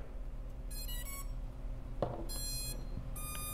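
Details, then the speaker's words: BetaFPV 85 Pro 2 flight controller with failed onboard 5 V regulator, powered over USB 5 V then battery plugged in: plug-in click, then three bursts of stepped high beeps as the ESCs finish their startup tune; the board now responds. "ast in my case is that the 5 volt regulator on the board failed and that is stopping the board from powering up and giving the esc that response that it needs"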